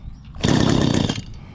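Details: Stihl FS85 hedge trimmer on choke after correcting reversed fuel and return lines: short crisp buzzing burst holding steady with no sputter or dying; runs normally after repair.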